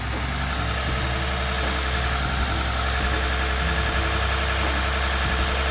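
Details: Lexus IS350 cold start after replacing the damaged radiator, AC parts and coolant reservoir, not run for a while, with coolant being topped up; smooth, even idle with a steady low hum, no knocks or misses. Running healthy.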